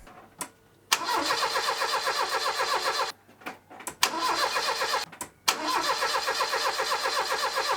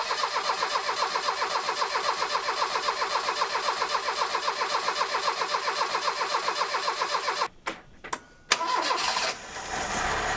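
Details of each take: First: Base-spec three-door Ford Escort Mk3 with a newly fitted Weber carb, fed from a jerry can, first start: a few cranking bursts, then a loud, raspy, spitting idle. The exhaust sounds blown through a holed silencer. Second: Ford Escort Mk3 CVH engine with a new Weber carb, choke on, after a fresh exhaust was fitted: a steady, even pulsing idle with no blowing or ticking. Quiet, healthy, normal idle.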